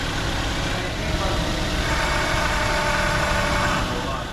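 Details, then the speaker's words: 2006 Toyota Yaris idling under heavy electrical load (high beams, radio, blower full), voltage dropped to 11.98 V, not charging; faint high singing tone over the idle from the alternator; replacement recommended; alternator whine. "our nader is not dating and that alternator is making a decent bit of noise you hear that thing singing to us it's an unhappy charging unit okay time to recommend replacement of the alternator"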